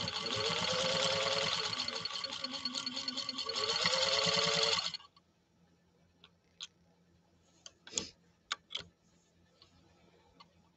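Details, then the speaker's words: Freshly restored 1949 Canadian Singer 15-91 sewing machine sewing a stitch row at close to 20 stitches per inch; fast, even stitching clatter ending in a few light clicks, silky smooth normal running. "i didn't shut the music off the music cut out again like it's been doing but it gives you a chance to really hone in and listen to this machine and just how silky smooth it runs now"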